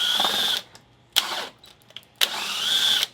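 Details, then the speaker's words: DeWalt cordless hammer drill dying: three short, strained whirring bursts with crackling and no power. It was smoking, and the brushes had burnt and melted together. "why ain't got any power bro so man you hear it crackling man ubirr quit"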